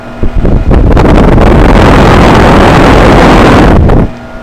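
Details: 2008 Goodman heat pump, coil looking frozen, outdoor unit in winter, reversing valve switching into defrost: sudden loud rushing whoosh for about three seconds, then back to a low hum; normal defrost changeover.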